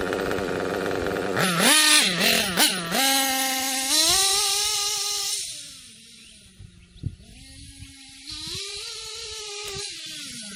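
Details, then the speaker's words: Kyosho KE25 Big Block nitro engine, wide-open pass after repeated one-hour leaning of high-speed needle, temps around .194: high screaming note climbs then sags and briefly falters; too lean, to back out 2–3 hours. "Alright, I could hear just then that the engine tried to cut out just a little bit, so we're too lean on the high speed."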